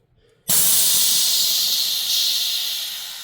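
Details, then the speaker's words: In-cab test after re-piping the dashboard air valves on a truck: a sharp hiss that starts cleanly and tapers off as the fifth-wheel slider switch vents, following the diff-lock click test; valve actuating normally. "It won't engage fully because you have to you do have to move the vehicle a bit, but you still should still hear a click."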